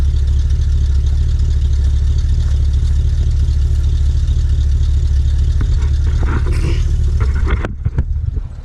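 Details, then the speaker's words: 1969 GMC C10 shortbox, 350 V8 with small RV cam and Turbo 400, long stored, still cold: deep loping idle with steady rumble and mild cam lope, no tapping or knocking; oil pressure good, healthy cold idle. "Doesn't sound too bad. We don't take it out unless the weather's nice."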